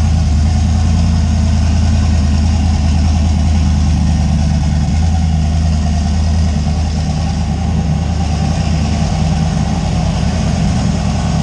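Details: Steady, even low rumble with no knocks, misses or surging from a 358W 80mm-turbo Fox Body V8 just fired after the injector ground was connected; it idles smoothly and sounds healthy.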